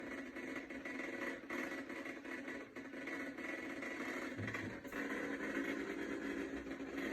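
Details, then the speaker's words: Maytag/Whirlpool top-load washer MVW6200KW0 not agitating: rough uneven grinding with scattered clicks from a failed shifter. "all right guys so you just heard those three different noises okay and all those are associated with a bad shifter okay"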